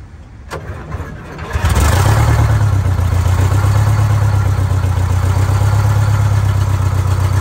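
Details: GM Scenicruiser bus, Detroit Diesel 8V71, first start after checking for stuck injectors and rack movement: brief crank, then fires and settles into a deep, steady, even idle with no misfire; healthy start.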